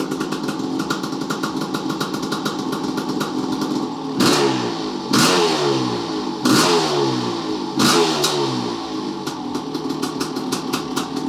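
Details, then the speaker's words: 1988 Kawasaki KX500 two-stroke after engine rebuild, running off carb bowl: crisp crackle with sharp clean throttle blips rising and falling freely; runs and sounds good, shut off as bowl ran lean. "so she runs good sounds g"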